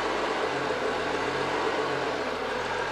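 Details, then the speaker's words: 2011 BMW F07 5GT, 3.0 petrol turbo, 277,000 km, cold start after fast idle: steady hiss with low groan swelling about twice a second from crankcase ventilation; worst when restarted hot. "언제 많이 하냐면 차가 열이 받고 시동을 끄고서 담배 하나 사러 편의점이 들어가 그리고 다시 시중을 걸면 소리가 많이나요"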